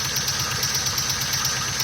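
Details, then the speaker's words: 1999-2004 Ford Mustang 4.6 V8, 76k miles, oil and coolant mixing with misfire, at idle: quick even metallic ticking in step with engine speed; owner suspects failed timing chain tensioner hitting the cover, right side, or piston-to-valve slap; unconfirmed. "it sounds like it's a time insane hitting the timing chain cover a bad tensioner gone bad and except we hit the cover on this right hand side"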